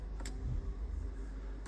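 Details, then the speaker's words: Volvo XC40 auction car with front and rear damage and water ingress, low coolant, key newly programmed, with electrics repaired and power restored: key turned in quiet cabin gives two sharp relay clicks about 1.5 s apart, no cranking, starter never turns. "we're only going to see if the engine turns over if he fires if he sounds good got a key programmed so let's see any noise no so obviously we hear relays"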